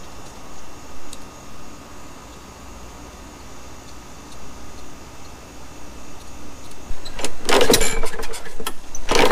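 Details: Neglected Craftsman 21-inch push mower with a 6.75 Briggs & Stratton, dry tank just refilled: quiet, then a few short pull-cord bursts that never catch; fuel starvation from a dirty carburettor with a plugged main jet, later cleaned.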